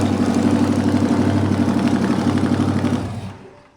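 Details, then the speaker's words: '73 350 Chevy small-block with replaced piston and rod, big cam and fuelie heads, valves not yet set: deep, even open-exhaust rumble, about four pulses a second, no misses, knocks or ticks; runs smoothly. "it might not be a bad idea because that's a pretty smooth running motor"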